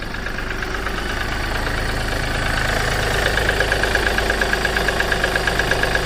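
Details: Seat Ibiza 1.2 TDI diesel at cold idle. A sharp knock rides on the diesel clatter, roughly three per second and fairly regular: a knock when cold.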